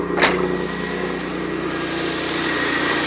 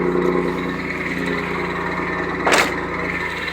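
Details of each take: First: 1991 Pontiac Firebird 3.1 V6 idling after replacing worn, loose smog pump with refurbished one: steady, even idle with smooth low hum, no knocks or squeal; much quieter than before. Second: 1991 Pontiac Firebird 3.1 V6 running: constant rough whirring rush from the front of the engine with a couple of sharp ticks; the smog (air injection) pump is failing and is being replaced.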